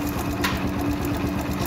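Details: Yamaha YBR/YB125Z motorcycle idling with a fast, light, sewing-machine-like clatter from a slack timing chain, before pushing the tensioner in until it clicks.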